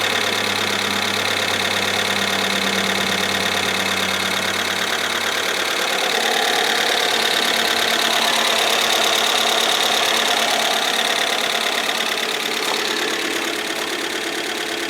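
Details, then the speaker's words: 1997 Ford Escort LX wagon, first start after a new cylinder head following an accident and head damage, idling in neutral. Fast, light, evenly spaced metallic ticking before oil pressure builds; valve train noise. "Well, she runs. Give it a second for that valve train noise to go away."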